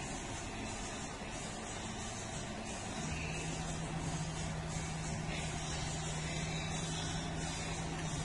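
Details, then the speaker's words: Car with a MAF sensor circuit fault, new dealer and aftermarket parts fitted, driven after codes and check engine light were cleared; smooth steady engine note under light load, no stumbles or surging, now feels more stable. "Entonces vamos a manejar el vehículo ahí se siente ya más estable"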